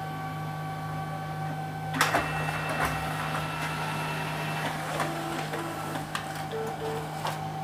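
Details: Canon printer with a paper pickup fault, test copy after repair with cartridge refitted and paper loaded: firm pickup clunk at two seconds, then even whirring and light ticks as the sheet feeds, over background music; normal feed.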